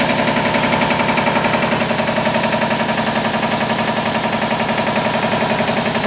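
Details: 40-year-old 25hp American Kellogg 462 air compressor, before overhaul, running: steady, sharp knocking about 220 per minute over the drone; rod knock on 3 of 4 connecting rod bearings.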